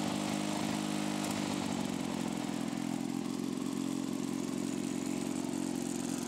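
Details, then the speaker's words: Lawn-Boy two-stroke mower after patching holes in the rusted exhaust muffler and crankcase: steady raspy drone with harsh open crackle, running very loud; loud exhaust, owner unsure the repair is holding. "ça fait du bruit quand même hein la vache ça ma rien cassé la vache le bruit ça fait"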